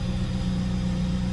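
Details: Fiat Siena with fuel pressure restored (previously zero fuel pressure, hard starting, no power, backfiring and stalling), now about 4 bar at the line: steady, even low idle with a smooth hum and no stumbles or surging; normal idle.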